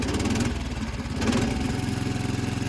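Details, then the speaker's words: 55-year-old Montgomery Ward single-cylinder lawn tractor, first start on full choke with a weak battery, in neutral with the blade off: catches and runs in a steady, slightly lumpy beat. Healthy first start, then stalls when the clutch is released. "Oh, she's running! And she's not running."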